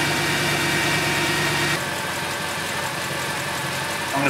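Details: Mercedes C63 AMG M156 at startup after serpentine belt replacement (old belt fraying at edges) and fan refit: even, steady idle with a smooth drone and no chirp, squeal or tapping from the belt drive.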